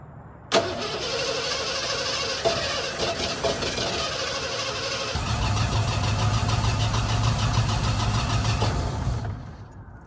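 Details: 1988 Ford F150 XLT 2WD, after new spark plugs (one old plug cracked): starter turns engine over steadily about nine seconds without a single firing stroke; cranks but won't start.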